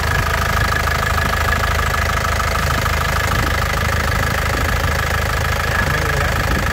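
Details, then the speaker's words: 2012 Isuzu Panther LS Turbo diesel, about 120,000 km, starts on first crank; steady, even idle with low smooth beat, no ticking or knocking; normal healthy idle. "Ya, sekali cegreng langsung nyala. Ini mesinnya lur. Suaranya renyah khas Panther ya, tidak ada suara aneh-aneh, tidak ada suara ngeplek tak tak tak, tidak ada."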